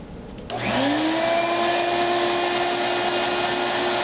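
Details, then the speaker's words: 2-gallon 3.0 horsepower Shop-Vac: the motor spins up with a rising whine, then holds a steady, fairly quiet hum. Owner suspects it would sound better if the clogged inner filter were cleaned. "It's not very loud for the amount of power it has, but it'd probably be a little better sounding if the filter inside was cleaned out."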